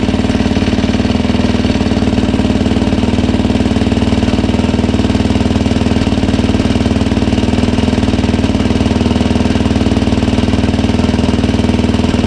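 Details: 2007 Yamaha YFZ 450 after rebuild and new water pump impeller seals and shaft: steady even single-cylinder idle, crisp regular beat, no misses or knocking; coolant leak fixed.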